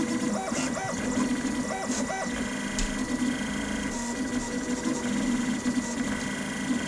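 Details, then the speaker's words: Citadel Mendel 3D printer printing at 120 mm/s: buzzing stepper-motor tones rise and fall as the head sweeps around, with a large fan underneath; normal for fast printing. "let's give it a listen hear that the buzzing sound that happens as it goes around and around and around here it goes"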